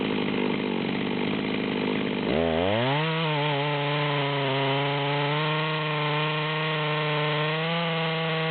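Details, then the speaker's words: Stihl MS200T chainsaw with 25-inch bar buried in a large log: revs then settles into a lower labouring drone in the cut, struggling to pull the chain; bogging from too much bar. "we're at zero we're about a third of the way down at this point and you can see it's struggling to pull the chain the way it's set up"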